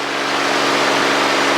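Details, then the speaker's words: 1964 Cessna 210D with IO-520 engine, long stored, takeoff at full power and full rich mixture, reaching 60 knots in hot conditions: loud, steady drone holding one even pitch, no misses, surging or roughness; engine pulling healthily. "Full power is set. Yes. Everything is correct. Air speed's coming alive. There's 60 knots."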